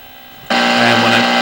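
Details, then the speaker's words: AC-powered AM/FM radio under repair, FM fault: quiet, then a sudden loud hiss with low buzzing hum from the speaker when a transistor in the FM local oscillator area is probed; fault suspected in that circuit. "as you can hear I get noise when I okay observe when I probe this transistor down here"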